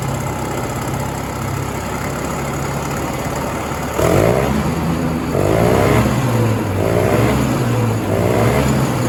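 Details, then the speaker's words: 1967 Ski-Doo Alpine twin-track snowmobile two-stroke, long stored, catching and idling on its own fuel after a lean bog cleared; crisp blips with no spitting or bogging: normal idle. "Sounds good. >> I think it just needed to start running and then I gave it a little more fuel."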